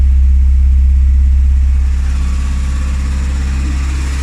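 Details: Classic Rover Mini with points ignition, restarted after sitting three months with heavy battery use: deep, steady thrum of about four beats a second that eases slightly and then holds even; a healthy, settled idle.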